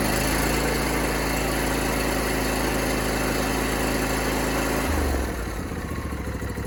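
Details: John Deere D125 lawn tractor small twin after fixing a bent push rod behind a no-start: steady even beat for five seconds, then speed drops off smoothly; running fine, slight exhaust smoke.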